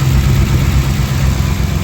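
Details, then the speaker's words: 2007 Ford Expedition 5.4L V8, 206,000 miles, just started cold after rear heater core bypass; quick puffing tick over low V8 burble: exhaust manifold leak tick. "You can hear that wonderful exhaust manifold. Not a problem."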